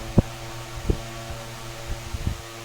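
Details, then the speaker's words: Mainstays SFC-225BR1 9-inch high-velocity fan after oiling the bearings, balancing the blade and swapping a defective armature: an even, steady hum with only a couple of light bumps. It now runs balanced and healthy. "balance is much better seems like we got ourselves a pretty useful fan here uh clean up and oiled it real well it's working p"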